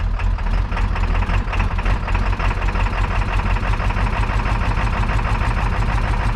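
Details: 7.3 Powerstroke diesel with new injectors and rebuilt turbo, just started with ether: deep clatter with an uneven, surging beat at idle, rough running right after first start; boost leak visible.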